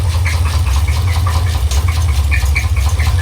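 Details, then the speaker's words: Box Chevy Caprice with SBC Vortec 350 V8 and 700R4 transmission, noises began after transmission failure; deep steady idle rumble broken by a sharp chirping knock about three times a second; owner suspects pulley, cracked flexplate or spun bearing, unconfirmed. "i started that right now for you so you can kind of hear what it sounds like but it's still not right man it's still not right"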